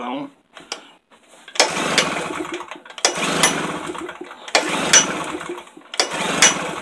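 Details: Tailgator small engine that ran when first bought, then sat about three weeks: four short pull-cord cranking bursts about every second and a half, each dying away; cranks but won't start, cause unknown.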